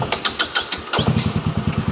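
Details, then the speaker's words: Friend's motorcycle, low on petrol, starts only weakly: sharp uneven cranking pulses give way to a slow, labouring low thump that never catches cleanly; cause unconfirmed. "Or বাইকটাও start হচ্ছে হালকা হালকা। আমার তো স্টার্টই নিচ্ছে না।"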